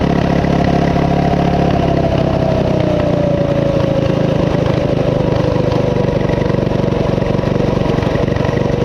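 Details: Coleman CT200U-A minibike, 196cc single, at idle after new carb gasket: fast, steady revving, pitch drifting slightly lower over several seconds, never settling despite carb adjustments. High idle; cause unknown, owner wonders about the clutch.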